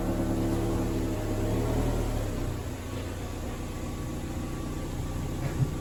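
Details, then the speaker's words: 1991 Toyota MR2, night test drive after removing broken sway bar and adjusting and greasing the binding brakes: steady road and engine rumble with no creak, squeal or grind; fixed and running normally. "just went for the test drive and i'm happy everything is working fine i basically adjusted the bricks it was a brick"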